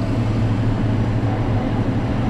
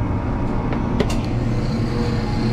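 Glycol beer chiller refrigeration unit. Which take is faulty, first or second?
first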